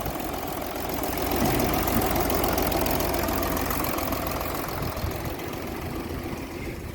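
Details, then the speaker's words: VW Touareg diesel with fault code P0087 (low fuel pressure); a rough, lumpy idle running on five cylinders. The ball-bearing trick blocks that injector's feed, and the injector is suspected. "tor here his stuff I know it's very very Rocky but obviously it's only running on five"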